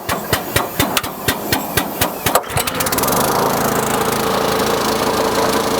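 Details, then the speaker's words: RynoWorx AirBoss 300 sealant sprayer loading sealant: a few sharp evenly spaced clicks, then the small petrol engine starts and runs steadily driving the pump, which may hiss as it is pre-charged with air; normal running. "and you might hear the pump make a few hissing noises it's because it's pre-charged with a little bit of air"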